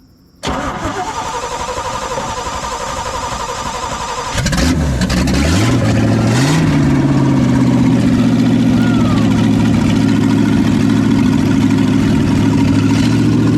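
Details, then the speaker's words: 1972 Chevy K20 4x4 sitting 15 years, first start on a good battery with new manifolds and no exhaust pipe: cranks about four seconds, fires, blips and settles to an even healthy idle, oil likely burning off manifolds; normal start and idle. "good day oh she sounds good [Music] probably just oil burning off of the new manifolds yeah sounds good could use a little bit of a exhaust pipe though"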